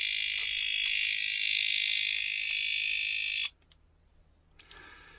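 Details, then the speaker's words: Disc lock alarm sounding in a van after it was left locked on; shrill, piercing electronic warble about four times a second, then abruptly cutting out, leaving faint clicks. Owner cannot switch the alarm part off. "no it's not going to have it i can't i can't turn it off so that's what it was"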